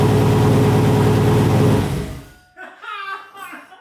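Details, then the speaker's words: Chevrolet Silverado with freshly built turbo 6.0 LQ9 V8 on a Holley setup-wizard tune with wrong injector data, first start: deep, fast, even rumble held high about two seconds then dies; idle far too high. "The idle was really high."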